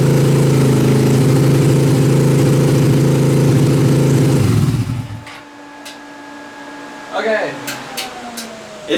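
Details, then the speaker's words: Dune buggy engine started after sitting months outside under a tarp, old gas drained, fresh gas, carburetor not cleaned, battery charged; fast, even, steady idle about four beats a second, a bit high, then shuts off; idle needs turning down. "like I need to turn the idle down a little bit but it actually still runs it's been sitting for months outside underneath the tarp and it actually still runs"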